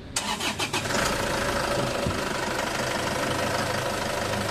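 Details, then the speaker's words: Isuzu Traviz diesel after fan belt fix (belt teeth treated; owner's complaint was fan belt whistling at start, worse with aircon): engine cranks briefly, catches and settles into steady clattering idle with no belt squeal or whistle. "Ininstall ko itong makina wala na yung sumisipol dito sa mga pan belt niya ganun lang mga boss ang gagawin niyo"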